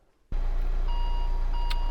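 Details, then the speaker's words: 2015 Renault Grand Scenic after alternator replacement (battery had read 11.4 V with the engine running): engine catches and a warning chime sounds twice over idle. The battery charging fault still shows even with the engine off, so the alternator is ruled out. "oh God still coming up right battery charging fault is coming up even when the the engine isn't running right"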